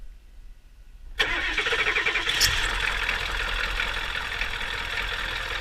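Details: 1989 Ford F-250 7.3 IDI diesel with a broken glow plug relay, glow plugs fed manually for about eight seconds as a temporary bypass, then started by jumping the solenoid. Quick crank, immediate catch, even diesel idle with no stumbling.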